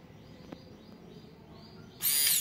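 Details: TA Racing high-pressure fuel pump (Suzuki FU150 injection) on bench power: near silence, then at two seconds a sharp high whirring whine starts and holds steady; pump now spins freely.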